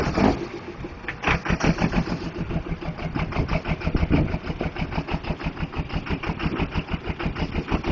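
Lumpy, uneven diesel idle with irregular heavy pulses about three a second; one cylinder is missing from a bad injector.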